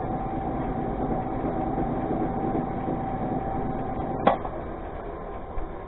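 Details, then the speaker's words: Shopmaster 17-20 XMTC lathe/mill/drill: steady motor hum with a mid-pitched tone and faint regular thumping from lathe spindle bearings damaged in a mishap, before bearing replacement. "you can feel that and hear it definite thumping"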